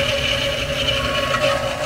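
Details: Lennox 90 percent furnace inducer motor: steady whine with an uneven, bubbling gurgle as condensate backs up and floods the housing; pressure switch fault code; suspected blocked condensate line and improperly primed trap.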